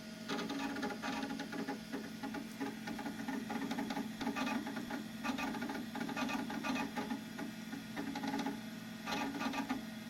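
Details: Macintosh SE booting: soft, irregular bursts of chattering clicks over a steady fan hum as the old hard drive seeks normally during boot.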